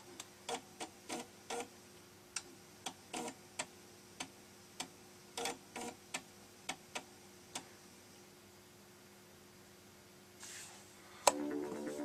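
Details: Amiga 500 Plus floppy drive, previously faulty, loading a disk after a reset; crisp irregular head-step ticks over faint motor hum, then short buzz while reading; drive loads though still has problems; normal seek and load.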